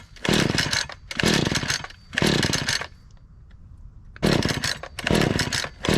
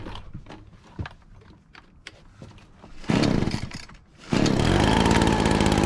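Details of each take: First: Lightly used Husqvarna 435 X-Torq chainsaw on a cold start with choke, fuel looking a little dark: five rough, second-long bursts on the pull cord, each dying at once with no catch; a no-start, possibly from the old fuel. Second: Husqvarna 435 X-Torq chainsaw after fitting a replacement part with a slightly different face: sharp two-stroke bursts settle into a steady, even buzzing idle with no hunting or stalling; idles normally.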